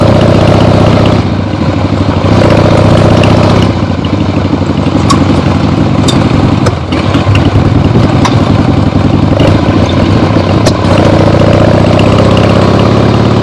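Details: Freshly rebuilt 1975 Harley-Davidson XLH Ironhead Sportster V-twin, warmed up on short test ride around the block; smooth even low beat with only the odd small pop, the carb farts likely adjusted out; normal running.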